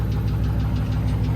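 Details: Engine knock at idle after hot lapping at a race, revving and shooting flames from a hot kit, then the engine shut off; heavy regular deep knock about seven to eight per second. Owner suspects it shut off too late, cause unconfirmed.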